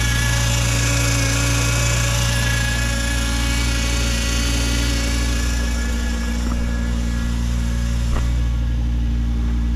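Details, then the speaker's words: 2006 Volvo XC70 after new downpipe and full exhaust with new muffler, revved at idle: steady deep exhaust drone, even firing, no ticks, leaks or rattles; healthy, moderate exhaust note, quieter than the originally planned muffler. "all right doesn't sound too bad at all not too bad at all at Muffler it's not it's not as loud as what uh what I was originally going to put on it"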